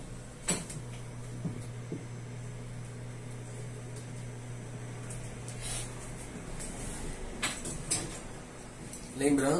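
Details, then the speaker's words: Electrolux MEP41 microwave after repair, with a faulty three-terminal door microswitch replaced and a power cable fitted, heating a glass of water for one minute. A steady low hum with faint fan noise, then it stops. Normal operation, heating well. "está funcionando normal a lua a lâmpada bonitinha tá liga e desliga colocar um minuto aqui está esquentando bem"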